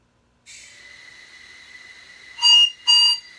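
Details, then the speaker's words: LBSC Tich model locomotive on air after fixing whistle valve: soft air hiss then two clean high-pitched whistle blasts about half a second each, valve opening and shutting crisply; normal whistle. "so very happy about that let's see a little running on air if we can hold out here I should have walked it through a little bit but at least the uh whistle works"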